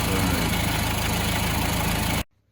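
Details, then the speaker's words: Vauxhall Vivaro 1.9 diesel idling after a PK5-to-PK6 six-speed gearbox conversion: steady clatter with a light metallic rattle underneath; owner suspects a gearbox main bearing, not confirmed. "Can you hear the noise? That sounds like a main bearing in this box. Probably why it came out in the first place."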